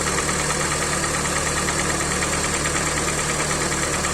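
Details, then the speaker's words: Hyundai i40, 150 thousand mileage, at idle: hollow, slightly uneven knock about three times a second, piston slap; endoscopy showed scoring in cylinder three, metal powder in oil, block to be sleeved. "Hyundai i40 пробег 150 стук двигателя Запускай отчётливо слышен стук поршней"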